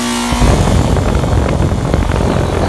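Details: Rheem air conditioner condenser fan at about 825-850 rpm after a replacement fan motor and aluminum blade, with the blade screw backing out: a heavy, uneven low rumble and whoosh, far louder than normal.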